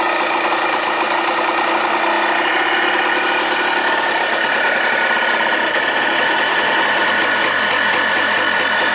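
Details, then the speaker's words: 2004 Yamaha Blaster two-stroke after engine rebuild: buzzes evenly at idle, then pitch sags and muddies when throttle opens, a complete bog; new spark plug and disconnected e-brake line made no difference; cause unconfirmed. "all right so as you see it idle is perfect but it just completely bogs as soon as you give it any throttle"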